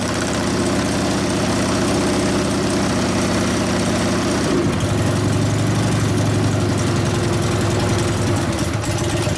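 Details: 1999 80ci Evo V-twin, first start after rewiring: struggles to hold idle, uneven lumpy firing changing midway as idle mixture screw turned (2.5 turns out); owner suspects lean, wants more low-speed jet, accelerator pump maybe dry. Rough idle.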